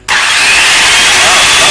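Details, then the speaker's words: DeWalt circular saw (brand given as "WeWALT"), first run after repair, run with no hearing protection; spins up instantly to a steady, high, even whine with no catches, surges or grinding, not as loud as expected; motor and blade running normally. "it's not as loud as I thought it would be"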